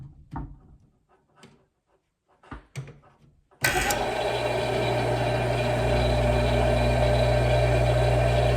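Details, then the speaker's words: Vintage L&A electric pressure washer barn find, after wiggling a stuck contactor free: clatter, then a hum holding a steady, even pitch with no growl or stutter; belt-driven pump motor running smoothly. "So we're on. Motor's running pretty smoothly. So that's good."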